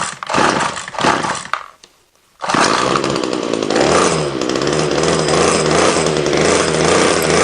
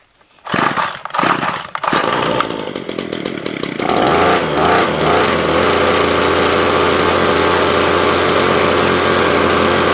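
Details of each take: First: Ryobi two-stroke line trimmer whose head won't spin fast enough, heavy smoke from exhaust: cuts out, restarts, buzzes flat and uneven without revving; incorrect fuel mix with too much oil suspected. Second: Ryobi line trimmer after repair of an incorrect fuel mix that caused heavy smoke and oil from the exhaust: pull-start bursts, then a steady clean high buzz, revving out fine, idling slightly high; running normally.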